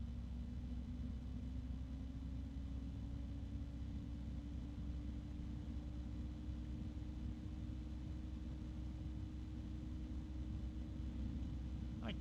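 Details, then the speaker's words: PC fan running at about 2060 rpm, before comparison with a Noctua: a steady low-pitched drone with audible friction noise and a soft airy hiss. "let's compare it to the noctua now and I can hear I can still hear that friction noise plus the no the low pitched drone which is I don't think it'd be too bad in a case"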